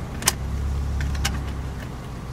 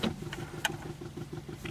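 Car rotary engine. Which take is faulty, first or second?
first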